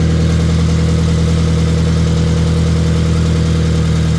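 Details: Scion FR-S (GT86/BRZ) boxer right after installing an equal-length header, started to check for exhaust leaks: steady, deep, even idle with a smooth low rumble, no ticking or puffing; no exhaust leak, normal idle.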